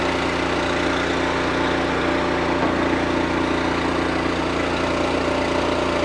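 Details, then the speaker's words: Honda GX390 on a roughly 3-year-old Wolfe Ridge 28C wood splitter, warm restart at about half throttle, no choke, after an oil change; steady, even firing, no knocks or misses, sounds healthy: normal running. "We're gonna start it back up, make sure it sounds good, and then we're gonna be done."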